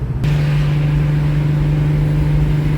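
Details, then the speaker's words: 1970 Pontiac LeMans with 455 Pontiac V8 cruising at the speed limit: deep steady drone, no whoop-whoop vibration; original 1970 driveshaft and U-joints were rebuilt, so the driveline is now smooth. "more vibration in the drivetrain. Cruising at speed limit."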